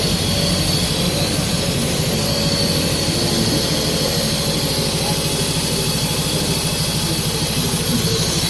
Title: cylinder misfire